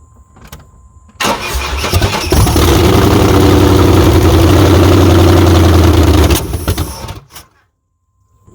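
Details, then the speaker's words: 1994 Chevy Silverado Z71 5.7 350 with newly fitted aftermarket aluminum heads: cranks, catches, runs unevenly, then a sharp pop and stalls; backfire on startup, owner suspects intake not sealing or milled heads. "all right so it runs but uh when it backfired and died it looked like it blew out right there so I don't know if maybe my intake is not sealing good or what"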